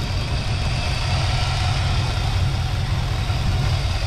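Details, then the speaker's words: 1969 Lincoln Continental with Ford 460 at idle after the low oil pressure light came on: a steady, even low rumble with no lifter ticking or clatter; some water pump pulley noise; the pressure switch turned out to be bad. "i don't hear any lifter clicking or quacking or i mean we were really low in oil i would think we would hear something"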